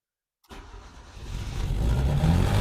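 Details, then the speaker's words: Yugo engine not run since 1992, TruFuel poured into the carburettor: cranks briefly, catches and builds into a steady low rumble with no valve clatter; starts and runs fine for the first time. "Well, well, well, boys and girls, she's a runner. She is going to run."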